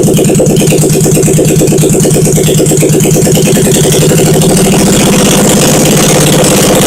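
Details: 1971 Honda SL350 twin, first start after engine rebuild, carbs primed, choke on, kick-started, no throttle fitted, temporary wiring to points; steady even low beat ticking over with no knocks or misses, normal idle.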